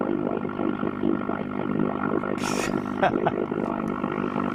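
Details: 1953 Ever Ready Sky Queen valve radio, volume up and lamps in on power-up: steady droning hum with wavering overtones; cause not yet traced, lamp to be bypassed.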